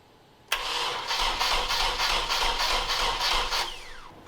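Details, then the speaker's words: Nissan 240SX S13 coupe with a KA24DE swap, during crank-no-start diagnosis. The starter spins the engine steadily but it never catches. It later fired and died; the owner suspects timing. "because it just cranks, cranks, cranks, as you guys would have seen in the last video."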